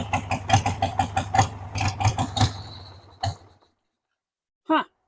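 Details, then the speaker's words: 1993 Harley-Davidson Sportster 883 Evo V-twin, sat about 15 years, started on jump pack and starting fluid: lumpy, uneven chuffing about once a second that fades and dies after three seconds; stall because the fuel tap was turned off. "Okay, you know why it died? Because I turned the gas off. Let's turn the gas on again."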